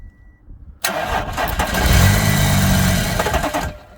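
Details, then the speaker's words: Audi A4 that won't crank: starter bridged from starter relay to battery positive, ignition on so the fuel pump runs; short starter whirr, engine catches, runs about three seconds on minimal fuel and dies; starter works, ECU blamed. "So yeah, you can hear that it works if I put a term of 30 voltage through it. Alright, put the ignition on. So now the fuel pump is run. You'll hear it start momentarily."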